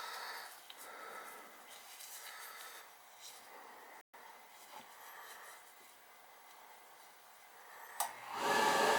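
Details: Riello oil burner on an NTI direct-vent boiler, annual service, fired up: steady, even airy roar with no pulsing, rumble or sputter; running good and firing cleanly.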